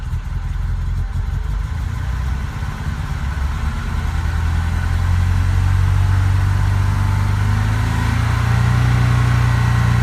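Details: BMW 2002 given a gradual, gentle increase in throttle: note climbs but beat is uneven and stumbling with dropouts; misfire under light throttle.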